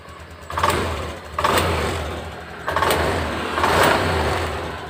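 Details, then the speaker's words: Honda Beat Deluxe fuel-injected scooter after injector refit and idle adjustment; four clean throttle blips rising quickly and settling to steady idle without hesitation, now feels normal, to be fine-tuned with scanner; normal revving. "Dias sudah terasa enak sudah normal ini sekarang kita perlu cek pakai scanner untuk nyetel gas supaya lebih akurat"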